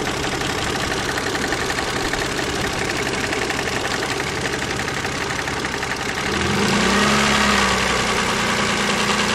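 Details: KF 2.0 engine at idle: steady, fairly regular tapping about four per second, louder from one side; sounds like a hydraulic lifter but comes from the side, origin unknown.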